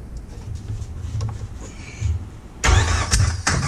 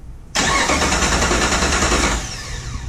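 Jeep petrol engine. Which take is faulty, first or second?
second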